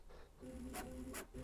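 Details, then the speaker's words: New Bambu Lab A1 3D printer on first power-up, running its motor noise-cancelling calibration. Motors have grown quieter, so mostly the linear bearings are heard moving on the rail: a soft low hum and gentle rolling whir with quick swishes at direction changes. Normal bearing travel. "mostly all you hear is like the bearings moving on the rail"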